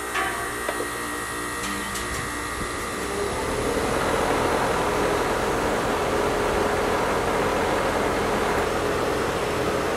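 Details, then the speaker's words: 2016 Rheem 5-ton central AC condenser fan after motor replacement: spools up to a steady, even whoosh with faint hum, no rattle, scrape or wobble; wires clear of blades, quiet and balanced, compressor not heard; successful repair. "I would call this a successful repair motors running it's quiet it seems balanced no weird noises or vibrations"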